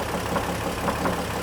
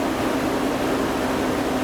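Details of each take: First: 2003 GMC Envoy 4.2L 4x4 automatic at warm idle with the serpentine belt removed. A dull knock repeats about three times a second and is still present with the belt off, so it is inside the engine, not the accessories. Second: 2003 GMC Envoy 4.2L 4x4 after power steering pump repair (broken pulley shaft): steady, even running note with no knocks, whine or groaning from the pump; engine and power steering sound healthy.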